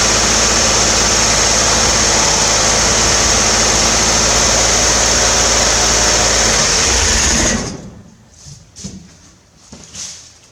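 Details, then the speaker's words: 1968 Corvair after mechanical fuel pump install: even, fairly fast idle with whirring fan over a steady beat, clean shutdown; idles high, a recurring issue on this car. Normal running. "Alrighty, well, I'd say that runs. Yeah, I'm pretty happy with that. It definitely idles way high, but that is an issue that I've seen just about every single time I've tried to start this car."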